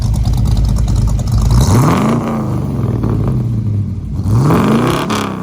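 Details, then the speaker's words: 1964 Mercury Comet 302 V8 with FloTek 180cc aluminum heads, Trick Flow Stage 1 cam, Victor Jr. intake and 1-5/8" headers, after oil-consumption and misfire issues were sorted: two quick throttle blips rising and falling cleanly with a smooth, even exhaust note. It sounds healthy. "hope you learned some stuff and we'll wrap this video up listen to that sweet 302 sound"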